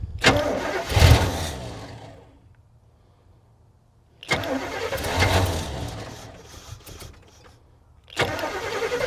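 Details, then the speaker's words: 1978 Chevy K20 4x4, V8 automatic, sat about 15 years, first start on fuel poured down the carb vent into the bowl: engine fires and runs a second or two before fading, three times over, with no knocks; normal first start. "It runs. As long as there's fuel in the bowl. But it is running. Didn't sound like it had any crazy knocks or anything."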